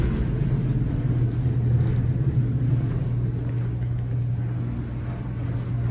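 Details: Horizon hydraulic elevator at Rye City Hall, Rye, NY, installed 1964: steady low hum with a rough, uneven rumble underneath throughout the run, very noisy and shaky ride, cause unclear.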